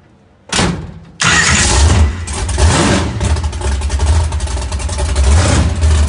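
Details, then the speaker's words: First start of the Zip Tie 2.0 after wiring. Short crank, then the V8 fires on the second try and settles into a loud, lumpy, slightly lazy idle; ignition timing is set too low (retarded). "ready timing up little low there little low"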